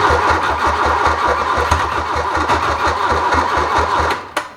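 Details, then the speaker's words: 1981 VW Rabbit left sitting over 20 years, first start attempt: the starter cranks slowly in even pulses, about five a second, for four seconds without catching; owner suspects a weak battery and plans to charge it. "think half the problem is our battery is getting a wee bit weak maybe we should try putting the charger on it for a little bit and then revisit this"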